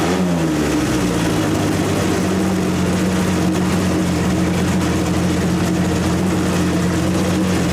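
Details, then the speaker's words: 1927 Hudson revived after seven years unrun, first running: steady, even drone holding a fairly quick speed without dropping back; idle set too high, needs backing off before transmission fluid is added. "okay I'm gonna wanna back the idol off for a little bit on them see if I can get Idol down"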